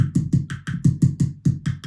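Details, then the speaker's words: 1980 Hondo II Professional Series bass on amp with neck volume up, during pickup selector switch repair: screwdriver taps give about eleven crisp thumps in two seconds, gone when volume is off; neck pickup wiring passes signal. "so we know that at least the neck pickup is wired there's signal coming through"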